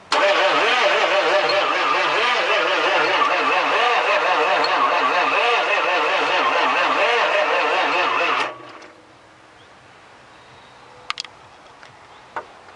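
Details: Chevy Suburban 6.5 turbo diesel: steady, even cranking at about three compressions a second for eight seconds with no firing catch; turns over but won't start.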